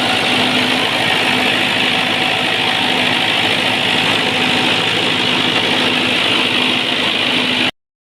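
Even, steady diesel run with a constant drone and no misses, knocks or surging; the genset sounds healthy.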